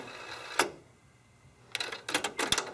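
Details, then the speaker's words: Kenwood KX-W8050 cassette deck, made in Japan, motor dated August 1992: a click, pause, then mechanical clacks as the auto-reverse head turns over on reverse play; owner notes it re-flips each time even if already flipped, adding wear. "But then when you stop, then you play it again in reverse, it sounds like it has to actually flip the head around again, despite the fact that the head was already flipped over."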